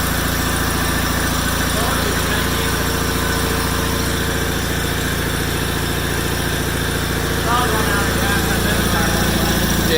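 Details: 1987 John Deere 318 tractor, 1200-hour Onan P218G twin (B48G oil pan and starter swapped in), after starter replacement, parked since December: even, steady twin-cylinder putter holding constant idle without hunting or misfires; idle smooth.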